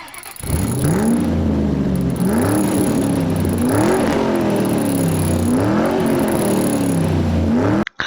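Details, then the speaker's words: Sludged engine on a flip car (2006 Mazda 6 or 1999 Honda Odyssey), started after reassembly: revs surge up and down unevenly with a squeal on each rev and never settle. One cam is not level with the block, so it is out of time (likely jumped chain) and needs a timing set. "Alright, well, you see this cam is level with the block, and this other cam is not, so it is out of time. It's going to need a timing set."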